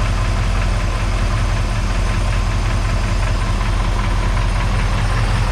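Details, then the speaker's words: Chevy 350 small block V8 at loud rough idle while the temperature keeps climbing past 180 and coolant bubbles over: loose uneven rattle, sometimes louder on one side; owner wonders if it's a rocker. Source still unknown after stethoscope checks. "I wonder whether it is a rock house let sound a little stronger on that side sometimes sometimes it sounds more rety here but I don't know"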